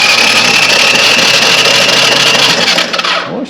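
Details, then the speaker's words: Honda TRX 200 ATV, reportedly ran low on oil and parked, suspected seized: starter spins it fast with an even high-pitched whir and no compression chuffs; compression and spark not yet confirmed. "spins fast that's not exactly a good [Music] thing"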